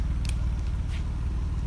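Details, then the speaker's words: 1995 BMW E36 320i automatic, M52B20 engine with earlier ticking blamed on hydraulic valve lifters, after tensioner replacement: smooth steady low idle with even rumble and no top-end ticking; engine sounds healthy. "Oke ini suara mesinnya enggak ada lagi suara tek tek sekarang udah lumayan enakan suara mesinnya"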